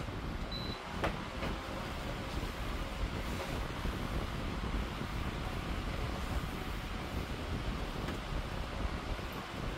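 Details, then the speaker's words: 16-inch Pelonis oscillating stand fan, curb find, on high speed, little faster than medium; steady, even rush of air with a low hum, no ticking, rattle or scraping; running smoothly and powerfully. "however with medium and high speeds there's not much of a difference in speed so just take a close listen to it once I push the power up"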